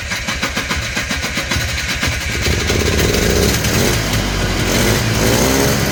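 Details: Polaris Trail Boss 250 two-stroke, just revived: catches with uneven popping, then only holds on throttle with a rising buzzy rev and won't idle. The owner suspects the carburetor idle circuit is still plugged.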